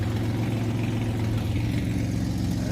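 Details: 2003 Ford Explorer warming up at idle after a new muffler was installed; O2 sensors still to be ordered, check engine light on for them. Steady low exhaust rumble, even and settling with no roar or rasp. Sounds healthy.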